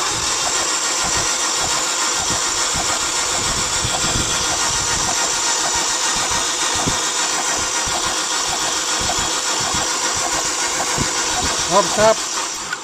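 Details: 2000 Holden Astra with hard starting: steady starter whirring and chugging about three beats a second goes on without catching; battery tested good, spark plugs give weak red spark, suspected cause.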